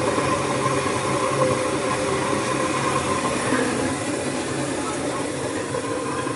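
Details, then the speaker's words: Newly installed Ruud 80+ 50,000 BTU gas furnace at first firing, replacing a 34-year-old unit: steady even rushing roar of burner and blower, no bangs or squeals, quiet with cover on; a little smoke burning off is normal. "she's blowing off a little bit of smoke pretty quiet with the cover on there it's getting a little smoky in here but that's normal"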